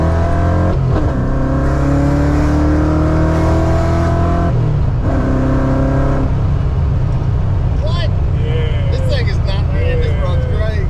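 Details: Tuned 331 stroker V8 in a GT with a smaller intake, driven after a failed brand-new part left it dead; revs up cleanly through several pulls and returns evenly, no stumble or missing beat, strong.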